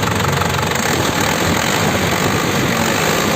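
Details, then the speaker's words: 2003 Isuzu Panther LS diesel, well kept, new Delta Lube oil and filter, original radiator, engine already warmed up; steady, even idle clatter with no misses or uneven knocks, sound stable. Normal idle. "Ini mesinnya juga udah saya panasin, suaranya sudah stabil,"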